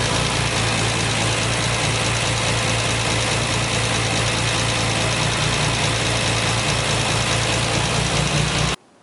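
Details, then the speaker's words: 1968 MGC holds a steady, even idle for about nine seconds before shutoff with no misses, after fixing a no-start that followed fitting a refurbished distributor and new coil; the bad coil was confirmed as the only problem. "so you can see there that obviously the fix worked and that coil was my problem and my only problem"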